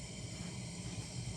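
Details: Coleman military gasoline lantern, after 20 pumps of pressure: steady, even low roar with soft hiss as the burner catches and settles; normal, though slight flare-up from a suspected leak around the generator.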